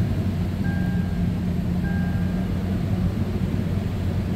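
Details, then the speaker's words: 2013 Toyota Land Cruiser 200 Series, 228,293 miles, just after a cold start: deep, even V8 idle, said to sound like a 5.7, no warning lights, no ticking, knocking or stumbling. "228 293 on the miles no warning lights everything looks great here sounds like a 57"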